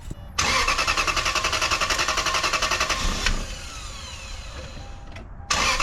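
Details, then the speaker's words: 1995 Lexus LS400, 160,000 miles, after intake manifold removal and fuel injector and seal replacement: engine catches and settles into an uneven, stumbling idle with a lumpy pulse; intermittent misfire persists, later solved by replacing the ECU. "well you don't need a light on the engine to hear that misfiring disappointment"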